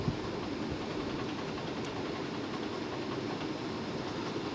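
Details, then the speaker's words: Dell Optiplex 745 rescued from a rainstorm, case fan ramped to full through SpeedFan at about 2973 RPM: a steady loud airy rush with no rattle or ticking, a healthy fan moving lots of air; hard drive cool. "You know, I think that's about as loud as this little computer will go. Because it's now, the fan's now idling at 2973 RPM. The hard drive's nice and cool now. Oh yeah, that's moving quite a bit of air."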